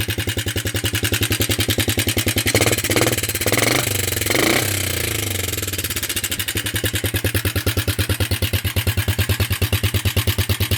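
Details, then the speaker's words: Circa 1983–84 Suzuki Quadrunner LT125 ATV single-cylinder, first start after sitting outdoors over a year, only the float bowl filled: fairly steady idle but uneven beat with an odd extra noise the owner calls weird; cause unclear. "I know it's making some sort of a weird noise I don't"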